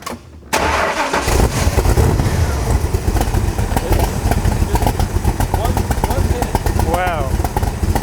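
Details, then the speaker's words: 2001 MKIII Shelby Cobra Superformance replica V8, after a new fuel pressure regulator (replaced for an odd noise), new fuel lines and a new fuel pump. A short crank, then a deep lumpy burble and quick revs with no whine or ticking; it runs like a race car. "like a race car."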